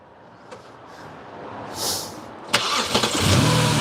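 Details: BMW 325xi straight-six after the 330i tune for the three-stage intake, out of gear and revved above the threshold RPM to check the DISA flaps open. A sharp, clean rev that settles back smoothly. Normal revving; the DISAs work.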